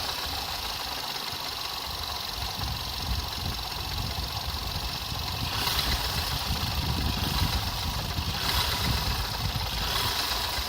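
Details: Skoda Fabia RS at idle: repeated knock roughly four per second over the engine hum, rising slightly with revs; engine knock, source unclear.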